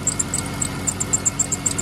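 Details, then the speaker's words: 2012 Dodge Grand Caravan 3.6L, intermittent no-start, now running: sharp high chirp about eight times a second over a quiet engine; owner suspects alternator bearing, not sure, source not pinned down. "so it's running that's good it's got a weird noise I'm still trying to I gotta figure this out annoying the name it is"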